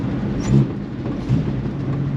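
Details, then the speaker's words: AMC 258 straight six in a 1946 Studebaker M5 truck with factory BBD two-barrel carburetor, warm: rough idle, then on throttle it falls on its face, bogs and nearly stalls; off-idle stumble from a failed accelerator pump, before swapping to an eBay replacement carburetor. "like falls on its face runs like absolute garbage i got a plate of throttle to make it go"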